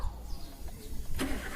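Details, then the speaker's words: EFI fuel-injected car after key-on with MIL lit; starter cranks briefly, engine catches cleanly in about a second and settles into even idle, MIL goes off, injection system judged normal. Normal start. "Hai starter lampu mi nya mati atau cek yang joknya mati maka dia kondisi mobil ini adalah normal Nadi sistem fb-nya normal seperti itu"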